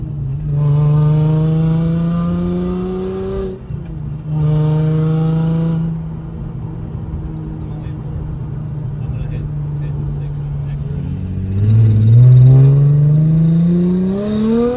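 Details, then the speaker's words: Nissan G35 sedan drift car with VQ35DE engine, test drive after engine/transmission reinstall with new engine mounts and stock exhaust manifolds; pulls cleanly with quick shifts through all six gears, no rattles or clunks: normal acceleration. "Car has all six gears, engine mounts help, and it sounds way better."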